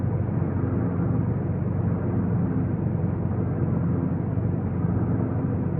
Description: My 2015 GTI Autobahn has a horrible grinding noise for the past five months, and VW Corporate is not willing to help.